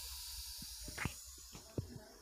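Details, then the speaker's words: LPG cylinder with new sealed tank and regulator just installed: steady high hiss under handling knocks, gas leaking at the regulator-to-valve connection; rolling the rubber seal didn't help, so the cylinder's safety rubber is removed with a fork. "you can hear it exactly like this, it means that there is a leak in the connection, OK?"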